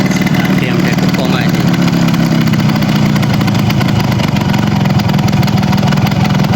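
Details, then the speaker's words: Yamaha RX 115 two-stroke just after refitting and tightening the silencer, started at night: busy raised idle with sharp ticking puffs; exhaust header still leaking from the top because the gasket hasn't seated, an adjustment also seems off. "হচ্ছে এটা এখনো leak হচ্ছে উপর থেকে leak আছে কারণ এরা গ্যাসটা বসে নাই"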